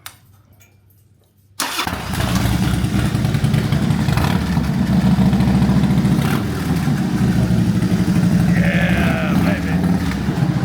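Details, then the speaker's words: 20+ year old carbureted Harley-Davidson with fishtail mufflers removed, open pipes: quiet, then starter catches and V-twin barks into loud lumpy idle about three beats a second; healthy start. "Let's give him a little taste of it. Well, without the exhaust you want. We took the fishtails off, so let's fire"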